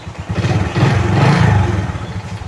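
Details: Honda XRM 125 carburetor single-cylinder, just after new starter motor assembly fitted, in neutral: catches promptly and settles into a steady, even putter with no clatter; normal idle.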